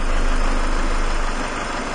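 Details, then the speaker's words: 2000 Ford Escort that dies at red lights, idling low and unevenly, sagging and stumbling as if about to stall, from a vacuum leak at an open intake manifold port found with propane. "and you hear the engine's about to die okay so we got a leak back there"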